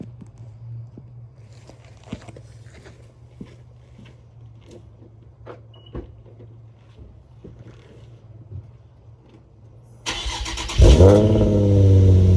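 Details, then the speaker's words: Infiniti G35 Sport HR sedan, nearly warmed up, after tightening loose ISR Y-pipe bolts that caused exhaust leak and high idle; brief crank, quick catch, rise to steady smooth idle, no ticking or exhaust puffing. Normal start and idle. "Alright, my car is not fully warmed up, But it's pretty warmed up now. And yeah, as you can see, you feel me? It's good. It's looking good."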